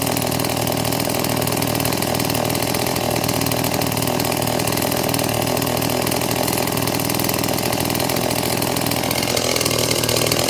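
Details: Stihl MS 180 chainsaw rebuilt with Chinese WINZOR parts including the crankshaft, first start on fuel-oil mix, with a slight carburetor adjustment: steady, even high buzz with no stumbling or surging, holding speed cleanly; runs normally.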